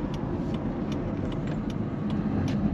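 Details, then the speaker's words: Kia Sedona driving, customer complaint of grinding: light metallic tick about twice a second over road noise, changing with wheel speed, grinding from the left front. "oh there she is grinding from the left front"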